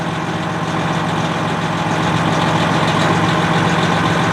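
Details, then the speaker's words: Truck with a manual gearbox and heavy clutch, started after sitting during quarantine: a steady, even diesel idle with a smooth low beat and no irregular knocks. Normal idle. "Do you put the clutch pedal in? It's a heavy clutch. Yay! It starts."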